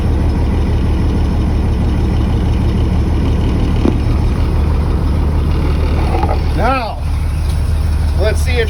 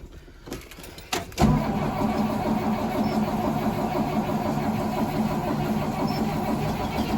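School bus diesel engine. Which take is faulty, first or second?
second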